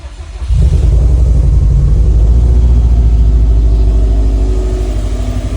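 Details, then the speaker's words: NASTI turbocharged car with Roger Clark Motorsport turbo kit, Corsa Veloce manifold, Fuel Lab surge-tank fuel system and new ETS 3-inch exhaust, in neutral: cranks briefly, catches cleanly and settles into a deep, even, mellow idle with no knocks; normal idle. "And instead, we got the ETS 3-inch exhaust. Much better tone, much quieter,"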